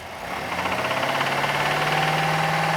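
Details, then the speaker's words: 2012 Subaru Forester, warm engine, oil level and condition fine: steady knocking about four times a second at idle, sharper as revs rise, appearing only when the engine is hot; internal engine problem suspected, not confirmed. "solamente cuando el motor calienta comienza el Taca taca Taca taca TACA que se Oy allí"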